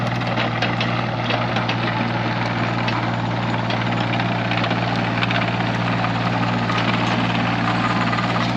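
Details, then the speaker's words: Cat 302.5 mini excavator after repair: steady, even diesel idle with a smooth low throb, now substantially quieter and no longer rattling like a bag of bolts. Normal idle. "it's substantially quieter now and we're gonna start it up in a few minutes here and uh you'll hear it it's it's quieter it also doesn't sound like a bag of bolts is rattling around it"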